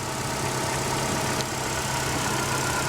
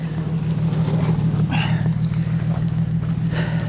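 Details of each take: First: Ecotec four-cylinder car at a salvage auction: steady, even idle with a smooth low hum and no knocking or misses; sounds healthy. Normal idle. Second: Car at a Copart lot, AC on, after a light rev: rough, lumpy idle with an uneven thump about three times a second, engine shaking on its mounts. Severe misfire.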